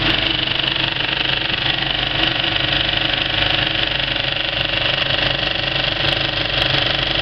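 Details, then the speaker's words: Kinoton FP30D cinema film projector with Speco LP270 platter, well threaded and running: an even, fast mechanical clatter with no harsh beats, sounding normal. A badly threaded wiggle loop would sound harsh. "actually got quite a nice sound to it"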